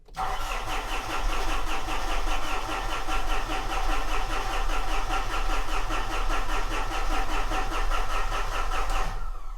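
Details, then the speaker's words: 2013 Mitsubishi Fuso FG, 4P10 diesel no-start, OEM electric lift pump refitted, same pressure as aftermarket, injectors connected: about nine seconds of steady even cranking, never fires; cranks but won't start, lift pump ruled out. "all they really changed is a fuel pump that still puts out the same pressure but let's give it another try"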